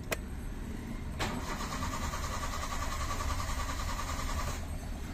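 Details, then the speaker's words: Hyundai Eon with hard-starting complaint, after swapping a fuel fitting for a smaller one: starter churns with steady whir, engine never catches; fuel pressure not holding, long crank without start. "Subukan natin paandarin to. Walang holding pressure. Isa pa. Hindi kaya."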